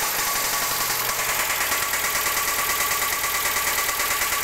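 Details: 1992 Mazda Miata, idle: sharp regular ticking about three per second over idle, top-end tick. Started abruptly, no power loss; owner suspected lifters, but a rebuilt head with new lifters and cams left the noise unchanged. Cause unknown.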